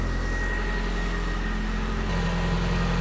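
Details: 1.8T 20V in a Mk1 VW cabriolet after fuel system upgrade (new fuel rail, fittings, regulator), primed and leak-checked: catches quickly and settles into a smooth, steady low idle with no misses or stumbles; healthy.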